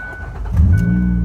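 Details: Van with a dead battery started using a 1500 A Schumacher lithium jump starter: door chime pings, brief crank, then engine catches at once into a steady idle; starts cleanly.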